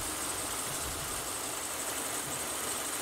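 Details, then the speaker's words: Overheating car diagnosed outdoors: electric radiator cooling fans give a steady airy whoosh over a faint engine, cycling on briefly and off normally; fans and circuit fine, low coolant level was the cause. "prendió un ratito y se apagó normal normal como debería ser vamos a ver si vuelve a prender ahí están entonces los ventiladores están bien"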